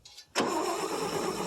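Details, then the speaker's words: 1959 International B120 4x4 pickup, not started in about five years, cold, with gas poured in the carb: steady, even cranking with no firing or catch. It cranks but won't start; owner suspects no spark or flooding, and a check finds no spark. "in either have no spark or I fled it more than likely it ain't got no spark"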